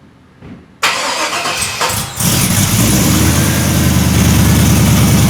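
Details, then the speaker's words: 1973 Chevrolet C10 with LS swap, newly fitted long-tube headers and exhaust with no cats. Short crank, then catches and settles into an even, deep burbling idle, fairly quiet, somewhat Mustang-like; normal start and idle. "But here I will start it up and show you what it sounds like. It's a lot quieter and it kind of sounds interesting."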